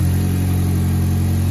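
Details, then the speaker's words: GM LNF engine after diagnosis of a hard-start issue, with a purge valve found stuck open, and after installing LSJ valve springs and cams with the head on the car: smooth, steady idle with no ticks, sounding correctly timed. "got it all put back together started right up sounds good"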